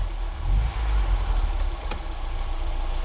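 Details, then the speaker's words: Barn-find classic Ford Fiesta, now warming up with the temperature gauge moving, choke fully off and the battery light still on: a low, even idle with a steady beat, no misses or knocks; a normal warm idle. "yep the chok's off running on no choke Now battery light still definitely"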